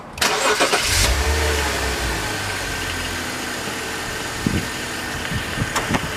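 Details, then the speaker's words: 2006 BMW X3 3.0L: engine starts and idles with a steady rotating bearing hum from the worn main drive belt tensioner pulley; fix is replacing the tensioner, and the idler pulley too. "so you hear that rotating sound that like a bearing going back down this one"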